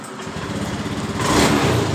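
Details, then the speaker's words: Honda Beat ESP scooter that died on throttle due to low 42 psi fuel pressure, after fuel pump replacement: revs pick up smoothly and hold without dying; normal after repair. "perhatikan motor hidup dengan normal eh setelah kita mengganti di bagian dari rotaknya eh motor ini langsung dalam keadaan normal"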